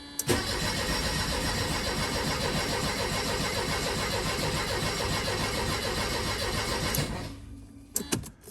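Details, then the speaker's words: Mercedes 190E (W201) no-start, after a fuel squirt: engine churns unevenly for about seven seconds but never runs; fuel not reaching the injectors suspected. "See, it sounds good when it wants to. Yeah, that sounds good. Oh my gosh, come on. Why is it just not getting to the injectors?"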